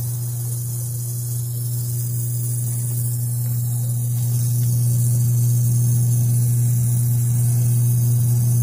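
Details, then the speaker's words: Insignia 37" LCD TV at power-on, before repair, picture working: steady low buzzing hum at constant pitch. Loud hum at power-on. "so we're going to take this apart see what's making that God awful noise and see if we can fix it"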